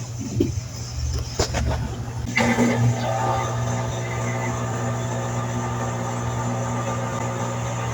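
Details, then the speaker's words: Whirlpool automatic washer in its drain phase: a steady, low continuous hum from the drain pump, with no rattles or grinding, as the last water is removed. This is normal drain pump operation. "es normal escuchar que la bomba hace un zumbido continuo o un foreo periódico a medida que la última cantidad de agua es remolida"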